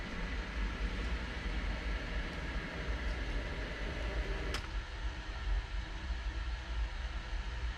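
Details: New 1/3 hp sump pump with a Quiet Valve check valve, replacing a worn 20-year-old pump with bad bearings: low steady hum and soft water rush, no banging or thumps; quiet normal operation after replacement.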